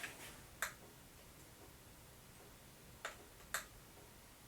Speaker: I'm wondering if you actually hear the dripping because I have to fix a sink over here that's dripping every couple seconds